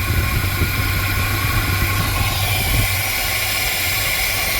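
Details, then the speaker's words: 1979 GMC C15 pickup idling shortly after first start following sitting. Fan working, EGR valve still fitted, no fuel pump leaks. Even low idle rumble with a steady fan rush, no knocks or misses. Normal idle. "Oh, I think I got lucky, you guys. That motor runs good."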